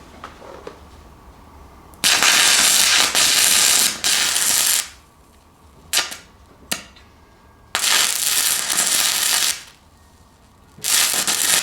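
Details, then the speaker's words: Fronius TransSteel 2200 running a 1/8 in 6010 rod at 90 amps: crackling bursts of a couple of seconds each stop dead, then restart; arc keeps shutting off, since this machine cannot run 6010 well. "again it just shuts off so I'm going to turn it up to 120 or 132 and just see what happens"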